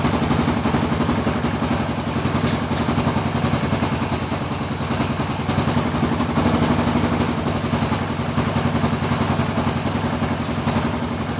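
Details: DR 800 single-cylinder motorcycle started from cold and idling: a hard, irregular knock rides on the thumping beat; the knock appears while the engine is cold and disappears at running temperature.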